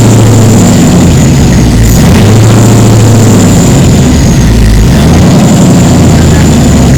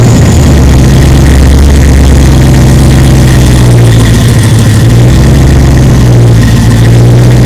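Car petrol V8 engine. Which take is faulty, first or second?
first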